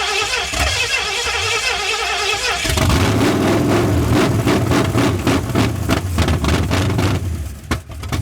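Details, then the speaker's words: 1981 Ford Mustang 5.0 V8, off the road since 1996, with a new fuel injection hose fitted. The starter grinds it over in quick, even beats without firing because the tank's petcock was left closed. Crank, no start, no fuel. "This fuel tank has a petcock on the bottom. I forgot to turn it on."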